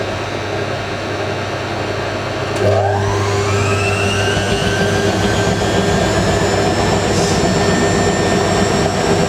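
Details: Hotpoint 9530 Electronic 1000 Plus washer, twin bedding load, after repair of burnt mains-lead neutral wire, final spin: drum whine rising steadily to speed, even hum, no thumping or banging; smooth balanced.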